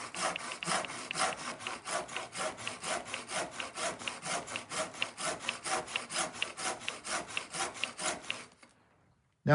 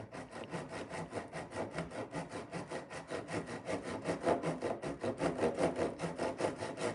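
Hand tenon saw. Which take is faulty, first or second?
second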